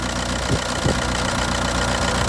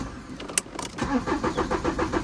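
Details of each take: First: Audi A4 convertible diesel with intermittent no-start: after ignition left on and a bash, a click was heard, the dash light stopped flashing, and it cranked and fired straight up; steady, slightly rough idle with fast even clatter, no trouble codes. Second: Audi A4 convertible, 128,000 miles, intermittent running issue: starter turns the engine over in a rapid even rhythm for a second or so with no firing; cranks but won't start, cause unknown.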